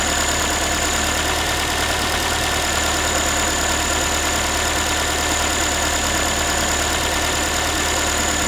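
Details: Ford Focus 3, 1.6 engine (125 hp), idle after a cold start: a light, tinny metallic clatter keeps pace with revs over a steady hum. The owner is asking what it is, and the source is unclear.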